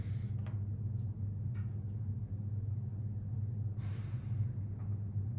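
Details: Desoldering station vacuum pump motor with the voltage turned up to the highest setting. A constant, even low hum with no rattles or grinding; the pump runs normally, though a fuse later blew.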